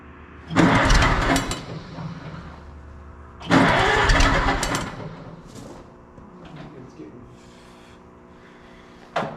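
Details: Oliver 77 tractor in freezing December cold after filing points, no choke as it seemed flooded; fires, roars briefly, then sags and dies each attempt, owner suspects not enough fuel, possibly fuel frozen.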